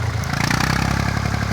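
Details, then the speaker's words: HMT 3511 tractor diesel, revved before the injection pump spill-cut timing is reset: hard, uneven clatter on every firing stroke with a harsh note and heavy smoke; injection pump timing off. "आप देखो ये कैसे धुआं देगा, कैसे धुआं दे रहा है। और इस ट्रैक्टर की आवाज़ भी अच्छी नहीं है, तो बार बार हम आपको दिखा रहे हैं।"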